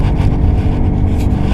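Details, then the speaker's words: 1997 Toyota Camry XLE, about 176,000 miles, highway cruising on a cold day: deep steady growl from worn right rear wheel bearing, sound disappears in right turns as the bearing unloads. "I hope you can hear that and I know it's right side because see it go away when I go into a right turn it unloads it The Sound goes away"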